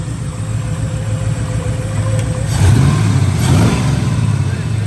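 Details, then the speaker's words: Ford Foxbody Mustang V8, first start since 2006, after fitting a new injector: deep rumble swells cleanly on a blip and settles without hunting; fuel pressure rises when revved, running much better. "when you rev it the fuel pressure's going up yeah it's not like searching for"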